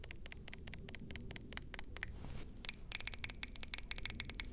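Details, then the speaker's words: BMW VANOS solenoids removed and pulsed on a 9-volt battery before cleaning, car had rough idle, power loss and shaking: sharp, thin clicks about five per second, valves barely snapping, some weak or dead; sticky VANOS solenoid valves. "this one is opening closing to does something to doesn't this is not great and the two which does something is very weak"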